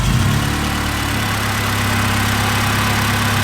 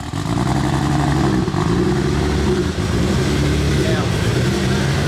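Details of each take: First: Engine with aftermarket crank pulley after belt squeal, suspected bottom cover rubbing. Smooth steady idle, even low hum, no squeal or chirp over the belts. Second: Car on first start after build with many new parts and big 272 cams, checking timing. Loud, uneven lumpy rumble with a lopsided beat; sounds like not all cylinders are firing.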